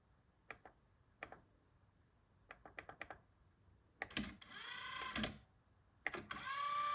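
Scattered light clicks, then short motor whirs that start and stop; the mechanism tries to engage but calibration never gets going.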